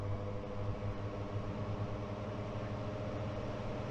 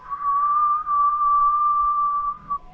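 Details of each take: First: Blower door fan depressurizing a tight passive-house building under construction, turned up toward 50 pascals (about 38–40 Pa reached): steady low drone with a constant hum, no pulsing or rubbing; running normally. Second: Passive house blower door test, pushing a door closed raises building pressure and fan adjusts: steady high whistle holding one pitch over two seconds as air forces through envelope gaps; air leakage.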